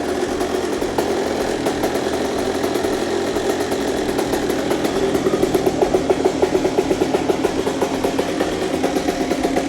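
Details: CR125 two-stroke after full rebuild, Pro Circuit pipe, first cold start of the day: catches and settles into a crisp, even mid-pitched idle, then sharp revs that pick up and drop back cleanly; normal idle and revving, healthy.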